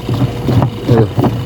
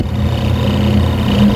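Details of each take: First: Washing machine before repair: deep uneven rumble swelling and fading as the drum turns with water load, drum stoppable by hand; motor runs quiet with belt removed, so the worn gearbox is the noisy part, to be replaced. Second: Noisy washing machine, motor tested alone with the belt to the gearbox removed, run on the timer: smooth, steady low hum at even pitch, no grinding or rattle; motor healthy, the gearbox is the noise source.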